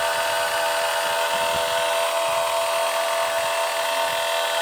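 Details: 2021 MG5 making a loud noise while rapid charging: loud steady hiss and drone at fixed pitch as cooling roars hard, with a pipe very hot to the touch.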